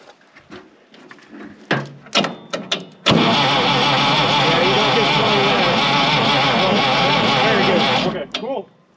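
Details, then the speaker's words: 1965 International 806 Wheatland diesel tractor, sitting since 1995, fuel reaching the pump: steady rhythmic cranking about three beats a second for five seconds, never firing; cranks but no start, air lock to the injectors suspected. "we got some sort pump on the back of the Rd the needle bounced up here too oh good that's nice might be air locked up to the injectors"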